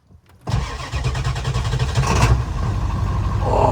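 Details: 1997 Ford F250 7.3 Power Stroke turbo diesel on a chilly day, after waiting to start: brief crank, then it fires immediately and settles into a steady, even diesel clatter at idle; a healthy cold start.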